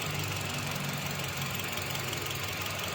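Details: Toyota XLI with code P0354, coil wiring being checked: rough uneven idle with irregular stumble and missing beats under steady hum. Cylinder 4 ignition coil circuit misfire.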